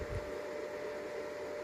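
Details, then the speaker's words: Greencell 1000 W hybrid solar inverter in a garage, with stock cheap 60x60x25 mm cooling fans: a steady, loud whirring drone with a constant mid-pitched whine, like a factory; excessive fan noise, with fan replacement planned. "okay so I have this green cell hybrid inverter it's kind of fine but it's noisy I don't know if you can hear it but it's [Music] noising I have it in the garage now and if you stay outside inside the garage it's like a factory in here"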